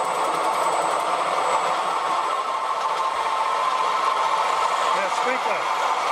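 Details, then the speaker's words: Short-stroke water pump after its bearings were cleaned and regreased, feeding a sprinkler, motor drawing about 5 amps: even, quiet whir with soft valve clatter from the water and no grinding. Pulley slightly out of line. Normal running. "See how quiet it is. Got a sprinkler on there and a turbocharge. You hear the valves being pushed by the water."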